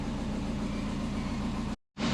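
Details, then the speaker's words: Subaru Forester with compound turbos and Haltech ECU, just started cold (coolant 30°C, intake air 27°C, battery voltage slightly low): steady even idle at the target 850 rpm while checking long-term fuel trims. Normal cold idle. "Starts up every time. This is where we want to be idling. 850."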